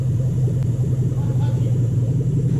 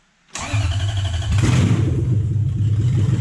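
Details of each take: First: 2007 Toyota Hilux Vigo 4x4 swapped to a 3UZ Toyota V8 with manual gearbox: deep, smooth, even rumble on a small throttle rev, no misses or knocks, now running properly after a right-hand-side fix (belt suspected earlier). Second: 2007 Toyota Hilux Vigo 4x4 with swapped 3UZ V8 and manual gearbox, first start after wiring. A short crank catches into a heavy, uneven, lumpy rumble that never settles. A large manifold leak is noted and the owner suspects the belt; the cause is unconfirmed.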